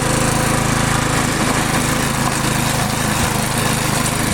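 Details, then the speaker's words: Stiga Multiclip Euro 46S self-propelled mower with a Briggs & Stratton engine, mowing wet grass. Even, steady single-cylinder chatter at constant speed with no misses. It bogs briefly halfway, which the owner attributes to the wet grass choking it. Otherwise running well. "Yeah, it's actually running really good. It's bogging down there halfway. I think it's just because the grass is wet and it almost chokes itself out."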